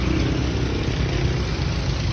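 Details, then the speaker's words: Toyota Vios engine restarted after throttle body cleaning: steady, even low idle with no stumble or shake, healthy. Previously it shook badly and misfired; spark plugs and ignition coil were fine, MAP sensor cleaning hadn't helped; dirty throttle body was the cause. "So ayun mga bossing, nakita nyo naman no, tahimik na, hindi na nanginginig yung kanyang makina."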